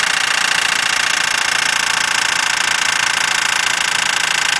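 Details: Mazdaspeed 6 in very cold weather, nearly warm: after half-throttle driving, a loud pop when boost engaged, then a steady metallic clanking at about three to four hits per second at idle. Owner wonders about the turbo, VVT valve or chain.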